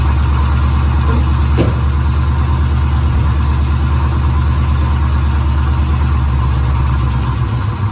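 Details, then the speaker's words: 1973 Pontiac Firebird V8 that was seized and full of water weeks earlier, idling after a couple of minutes' running with a screwdriver propping the throttle: a deep, even rumble with no misses. It has gone from about six cylinders to all eight firing. "You can hear the car starting to run a bit there now. The car's been running a couple of minutes. I reckon that's 8 cylinders now."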